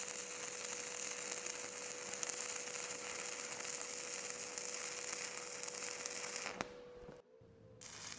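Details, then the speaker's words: Stick welding vertical up with 6013 rod on flat plate, arc held a bit tighter than the previous pass: crisp crackling hiss with uneven spitting. Arc is still too long for the first three quarters, though it sounds less crispy. "in this one I hold a little bit tighter of an arc, but overall it's still, for the first half, 3/4, still a little bit too long, but it sounds a little bit less crispy than the previous."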